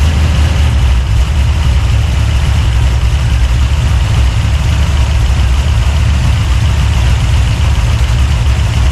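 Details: 383 stroker small-block V8, freshly built and swapped into a 1970 Monte Carlo, at first fire-up in the car: deep, loping idle with an uneven, choppy beat that stays steady; big-cam lope, healthy; normal lopey cam idle.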